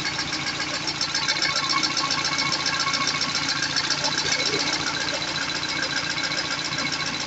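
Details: Peugeot 206 CC S16 engine restarted after replacing hydraulic lifters and refitting new timing and accessory belts: quick, light, even ticking over the idle while the new lifters fill with oil pressure.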